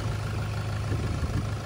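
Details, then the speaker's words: 2011 Toyota Hilux KUN26R, 1KD diesel, manual, after replacing the 130 A alternator and refitting the drive belt; low, steady idle with an even beat, no squeal or whine; noise gone, battery light off; normal. "Yeah, sounds like P4D now. Yeah, it's quite quiet now. That's normal noise already. Yep, sounds good."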